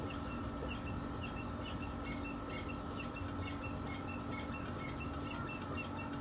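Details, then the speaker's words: Older Pacific Magenta electric bike: quiet, high chirping squeaks about twice a second as the rear suspension is bounced, from a dry, rusted swing arm pivot. "Ini di sini saya mau menjelaskan kenapa di sepeda listrik itu biasanya kalau udah agak lama itu biasanya ada bunyi kalau dia lagi ngesok gitu ya."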